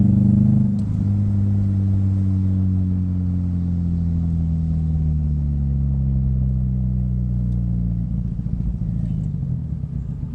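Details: 2005 Scion xB, 135,000 mi, low lumpy idle with uneven chug about three times a second and power loss; one cylinder dead, bad coil pack on cylinder 4 not firing the plug.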